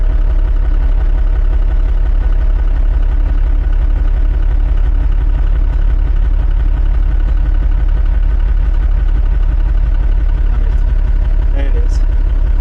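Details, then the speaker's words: Mercedes truck that sat for a long time, first start after an oil change: it started right up and settled into a steady, low idle of about three beats a second with no knocks while oil pressure slowly came up; normal idle. "Everyone gets surprised that it started right up. I guess it likes me."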